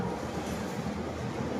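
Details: NS126FI scooter with a worn one-way starter clutch and crushed needle bearing: engine starts and idles steadily and evenly with no rattle or grinding.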